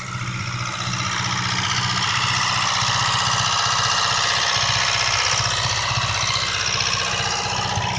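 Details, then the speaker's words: 1998 Mitsubishi Eclipse GS during tune-up: steady idle with fast, even light tapping about four times a second from the cylinder head; owner believes it is a lifter, valvetrain ticking not confirmed. "I mean, I can hear it. It's the lifter. If you guys hear it carefully, it's the lifter, okay?"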